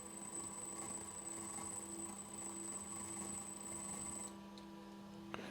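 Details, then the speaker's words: Home-built small-scale three-phase four-pole motor powered from a 31 V 10 A supply through a speed controller, magnets rotating: quiet, steady low hum with a faint high whine and no knocks or rubbing; spinning smoothly. "Oh, there we go. So we've got it powered up. I'll turn that so you can kind of see the magnets rotating."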